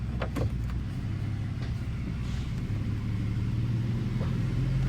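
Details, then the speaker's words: 2012 Dodge Grand Caravan 3.6L V6, 62TE automatic, after rebuild for no-reverse and refilled with fluid: steady low engine hum as the van pulls away smoothly, no clunks or slipping flare; transmission engages cleanly and sounds healthy. "moving. It's definitely moving, guys. It definitely sounds healthy. Definitely sounds healthy."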